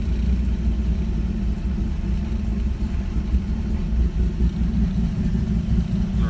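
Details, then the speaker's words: 1965 Ford 200 inline-six converted from carburetor to FiTech fuel injection, newly rewired, just started: deep, steady, even idle with low rumble, no misses or knocks, smoother than with the old carburetor; normal idle. "idles it idles a lot a lot better than it did with the carburetor before think like it's a little bit smoother"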